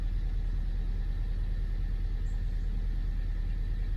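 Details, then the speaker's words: Honda Civic 1.5 turbo, 122k miles, in limp mode with multiple warnings: deep, uneven idle rumble with a stumbling beat and hood shaking; misfire, dealer later replaced ignition coil number two. "so it's got a misfire you can see the hood shaking"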